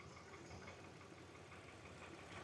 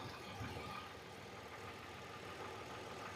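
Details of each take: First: Hyundai Veracruz returned a month after coil, spark plug and one intake gasket replacement with system-too-lean code; brake cleaner sprayed at intake gasket on cylinders 1–3 side: lumpy idle with dropouts, cylinder 2 misfiring heavily, intake gasket vacuum leak. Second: Hyundai Veracruz, lean code, checked after intake gasket repair by spraying brake cleaner around the gasket edges: quiet steady idle, no popping, stumble or RPM change; engine runs smooth.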